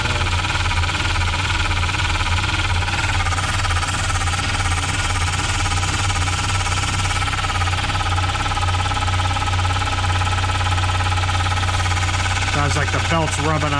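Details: 1993 Volvo 940 B230F after timing belt, tensioner and water pump reseal with new plastic covers on a damaged rear cover: constant raspy scraping over idle tracking engine speed, timing belt rubbing the tweaked cover; pushing cover in silences it.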